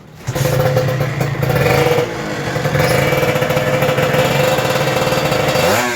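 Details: Kawasaki Ninja RR 150 two-stroke after service for heavy pull, misfiring (brebet) and sticking throttle/KIPS, throttle piston sanded smooth: crisp even buzz picks up cleanly, revs freely without hesitation; healthy, much improved over before.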